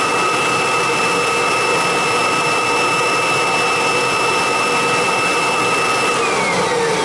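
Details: Kirby G4 vacuum switched on with bag fitted for a pre-service check before fan and brush roller tune-up; steady high whirr with constant whistle, no rattle or grinding: motor and fan healthy, normal running.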